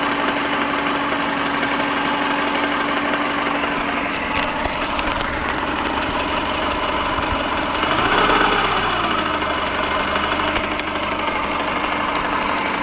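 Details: Subaru EJ15 engine at steady idle with a loose, uneven internal knock about three times a second; origin of the knock unknown.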